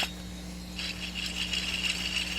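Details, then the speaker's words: 2004 Nissan Maxima 3.5, removed rear wheel bearing spun by hand: a dry, gritty rattle and rasp instead of a quiet spin; the bearing is worn out. "imagine the noise I made going down the road but anyway that's how you do the rear wheel bearing 2004 Nissan Maxima"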